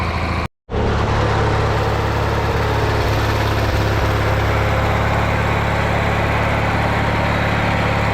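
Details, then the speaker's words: Riding mower, a no-start customer machine, running after a paint-can lid was welded over its blown-out muffler: steady low chugging idle, even for eight seconds after a brief dropout, no misses or rattles; runs, though it still needs a solenoid. "I think she's fixed. She said it won't work, but it did."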